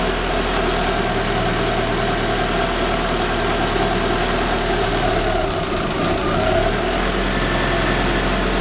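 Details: Daewoo Espero 1994 2.0 L TBI automatic, cold idle: uneven idle wavering and dipping as if about to stall, only when cold; timing belt already replaced without change, distributor suspected; possible ignition fault causing rough idle.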